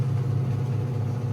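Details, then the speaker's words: Black & Decker 3.0 portable washer after just over 2 years of use: the fast spin gives a steady low hum, a little louder than when new but still quiet. No knocking or bouncing, slight vibration by touch, none through the floor; normal wear. "I will say the spin cycle has gotten a little louder, but it's not very loud at all."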